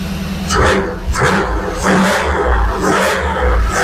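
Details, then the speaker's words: 1991 Camaro fuel-injected V8, first start after a year and a half rebuilding it after an accident: fires right up, deep even burble rising and falling cleanly on throttle blips, firing on all eight, healthy. "all right so fight right up which is good um it's the benefit of having fuel injection basically you don't have to get in the car and pump pump the carburetor or nothing"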